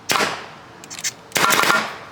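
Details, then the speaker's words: Nova N4 Odin v2 2025 mechanical closed-bolt paintball marker fired rapidly in open air: two loud bursts of sharp, crisp, even cracks with a hiss between; normal cycling. "It is loud. You probably heard it super loud because I am pointing this straight out there with a paintball."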